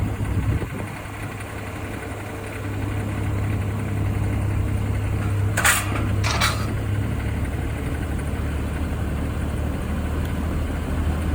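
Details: Daihatsu Move Canbus: light uneven ticking rattle over a steady low idle, a few clatters a second; knock-like rattle caused by carbon deposits, fixed by internal engine cleaning.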